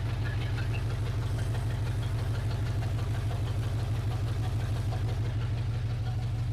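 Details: 1980 Chevrolet C10 Cheyenne square-body small block, first start after sitting, open headers: loud even lope about three pulses a second, no tapping; healthy idle after oil pressure built and oil reached the rockers.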